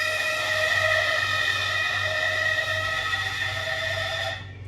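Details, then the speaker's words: Shop freezer's internal heat-dissipating exhaust fan motor suddenly squealing at night, noisy and vibrating all year: loud steady high-pitched squeal with ringing tones that stops dead when switched off; fixed by technician, noise much reduced. "他那今天晚上不知道为啥，突然就发出很响的那个吱吱的声音嘛。然后我自己看了一下，是里面那个排风扇散热的风扇的问题。"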